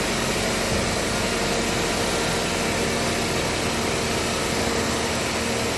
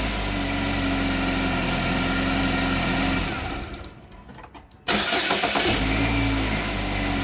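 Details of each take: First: Engine with previous head gasket and burnt-valve repair, back for P0014 exhaust cam code, after installing new Dorman part and tensioner: even, steady idle hum, no rattle or ticking; idles smoothly, though scan shows new part prematurely failed. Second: Light irregular metallic rattle over uneven idle just after start-up; variable cam actual angle stuck at zero degrees despite commands. Owner thinks it sounds like catalytic converter rattle though a new converter was fitted; origin unconfirmed.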